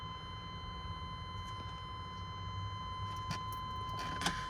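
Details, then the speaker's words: 2000 Chevy C3500 6.5L turbo diesel, key on after glow plugs: relay clicks but starter stays silent, no crank; diagnosed failed starter solenoid, replaced. "I can hear the relay and stuff click, but I don't hear the starter clicking. And that leads me to believe that the solenoid on the starter has gone bad."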